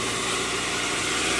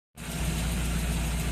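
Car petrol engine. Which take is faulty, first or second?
first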